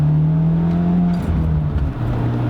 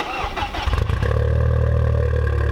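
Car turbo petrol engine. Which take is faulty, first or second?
first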